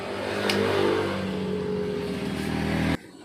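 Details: Honda TMX 125 single with new spark plug, ignition coil and CDI still runs ragged, then dies abruptly at low throttle; misfire and stalling traced to a dirty carburetor.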